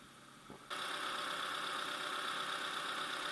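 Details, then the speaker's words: Opel (Astra J/Insignia/Vectra C), 125,643 km, first start after a timing belt replacement, warming up: engine catches within a second and settles into a smooth, steady idle with no knocking or ticking; runs normally. "Ну, все у нас нормально работает. Прогрели."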